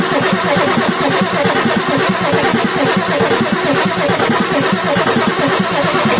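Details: Ford F350 6.9L IDI diesel after injection pump replacement: steady starter grind at roughly one uneven beat per second, cranking without catching while air is purged from the injectors; starter then rested to cool.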